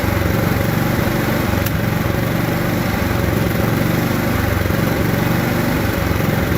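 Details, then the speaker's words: Riding lawn mower before carburetor cleaning and rebuild: small single-cylinder engine runs lumpy and hunting, won't idle, backfiring; dirt in the carburetor is a common cause. "maybe it doesn't start very well takes forever to crank over and finally start maybe it only runs when you have the choke on or maybe it sounds like"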